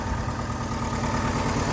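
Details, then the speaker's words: VW Gol flex running on gasoline, leaking oil, idling: a lumpy, pulsing low throb with heavy vibration. When warm, the oil light flashes and goes out on acceleration. Owner suspects a clogged oil pickup strainer not sending enough pressure. Rough idle. "Ó o ronco dele. Tá bem xoxo esse ronco dele. Motor tremendinho bastante."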